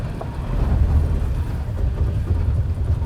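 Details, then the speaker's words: 2016 Toyota Tacoma off-road in rock setting, crawl control at crawl 2 (about 2 km/h) over rocks and boulders, driver only steering: low uneven rumble with pulsing drone; normal ABS operation modulating brakes in crawl control. "Okay, so all I'm doing now is steering. So that noise is the ABS. Working,"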